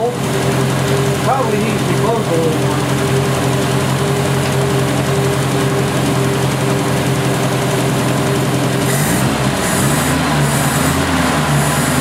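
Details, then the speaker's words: 1970 Opel GT sat about 30 years, after carburetor change, new points, new Bosch Platinum plugs, choke fully open: steady low idle with faint occasional stumble; slight misfire at idle, low power, cause unconfirmed. "it's still missing a little bit but it has the entire choke open over here it's been sitting a little while"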